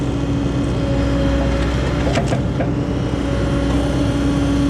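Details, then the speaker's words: Auction-bought Bobcat excavator after repair: steady mid-pitched hydraulic pump whine over the diesel drone; owner suspects air still working out of the system or a bad pump, a new Rexroth pump on hand and pressures to be checked. "See if it has that weird pump line anymore. Oh yeah, a little bit. I think we're still working air out of it, or we got a problem with the pump."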